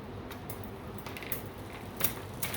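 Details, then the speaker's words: 24-inch seven-speed bike with a newly installed chain, before tuning: irregular light clicks and clunks as the cranks spin and the chain jumps between cogs on its own; ghost shifting because the rear derailleur limit screws are not yet adjusted. "and you can see it's shifting again because we haven't tuned the rear yet"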